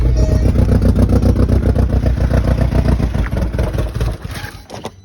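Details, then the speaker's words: VW Beetle, 115,000 miles, first start on a borrowed battery: engine catches and chugs with heavy uneven low pulses three to four a second, then dies; runs rough, cause unconfirmed. "As I say, it's probably because of that and everything else, but it's good news. It runs."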